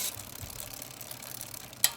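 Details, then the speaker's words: Carbon gravel bike, Wheeltop 1x wireless groupset with big cassette, rear derailleur on default settings: freewheel ticking then sharp clicks without clean drop onto next cog; shifts land between cogs or do nothing, indexing needs fine tuning. "That one's in between, so that one's not good. That one's in between too. These are all default values."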